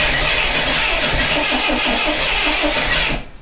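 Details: 1979 Lotus Eclat with no gas: the starter spins the engine at a fast, even rhythm for about three seconds but it never fires; cranks but won't start, cause unknown.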